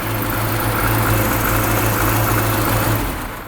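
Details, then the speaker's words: Classic Mini Clubman campervan, first running after pressurising the fuel tank by blowing into it so the pump could draw fuel: steady idle with slightly uneven beat about four pulses a second, no taps or knocks; mechanically sound, just lumpy. "it's running a bit lumpy but it sounds sweet mechanically there's no taps or bangs or anything no it sounds nice"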